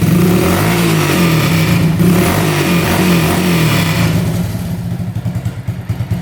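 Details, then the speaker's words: 1985 Honda ATC200S three-wheeler, fired once the choke was turned off: small single-cylinder climbs cleanly through the revs and drops to a steady putter, with a loud pipe from a rusted-out exhaust. No misses; normal revving. "You can hear the pipe really loud. It just kind of rusted out. Are you doing good and everything? Headlights working. Revs out good."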